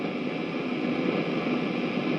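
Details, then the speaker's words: Aussie Panther valve guitar amp head on a test cab, stabilised around 80 W draw: steady crackling static like an AM radio in a thunderstorm, from a failing resistor in the phase inverter. "so you can hear there the crackling sort of thunderstormy"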